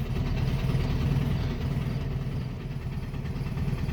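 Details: 1967 VW Beetle after adding fresh fuel (the old tank fuel was bad), not yet warm: a lumpy, uneven idle with a regular stumble in the beat; it holds idle now but one cylinder is dead, running on three.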